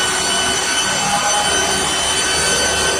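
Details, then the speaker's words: VPS-SC paper stick making machine, first function check after install: steady even whirring hum with hiss on top, no knocks or scraping while the cutter runs to check rotation direction; all functions normal. "它先转一遍，然后检查一下它这个刀的转的方向，然后它这个转的方向检查一下。好，这各个功能没问题，然后你就按停。"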